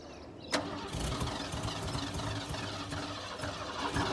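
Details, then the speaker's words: Ford F-150 sat about ten years, running on sprayed starting fluid: starter cranks, then short ragged burst of firing that never settles into idle; catches but won't stay running. "okay well it's gonna make noise at least see what happens so most it's done ready so close"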